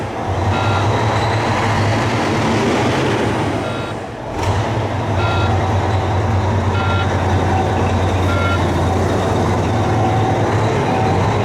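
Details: Volvo VNL diesel truck in a cold, closed shop, running after the exhaust was fixed. It holds a steady, even low idle rumble with no misses or exhaust puffing, with faint beeping in the background; normal idle.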